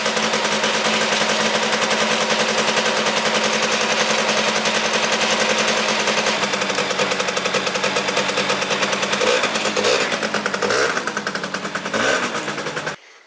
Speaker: finally have electric start on here boys sounds like the starter gets hung up for a second but we did it boys